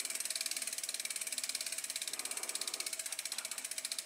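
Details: 2012 Trek Navigator 2.0 after its Shimano freewheel and rear gear assembly were replaced. Crisp, rapid, even ratchet clicks ease off as the wheel coasts; the pawls engage cleanly and sound healthy.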